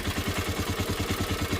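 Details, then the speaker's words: Ecuadorian motocarro (three-wheel cargo motorcycle) after an electrical-fault repair: steady, even single-cylinder putter at idle, no longer stalling, no valve noise, accelerating well; exhaust joint rattle noted separately. Normal idle. "ya no se apaga. No tenemos ruido de válvulas. Está acelerando bien."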